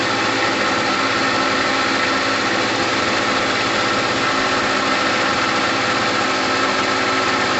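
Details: Gilera DNA 125 two-stroke idling with a raspy, even buzz and no misses or rattles, after a new fuel line; petrol heavily premixed with two-stroke oil, red in colour. Normal idle.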